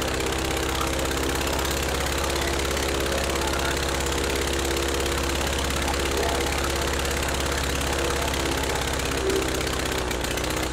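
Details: Rebuilt Praga B2 aero engine, last run 1 September 1939 on Hillson Praga G-AEYM, test-run bolted to a Vauxhall, at full throttle with lots of smoke: steady, loud, even roar with a firm low beat, no knocks or misses; sounds healthy.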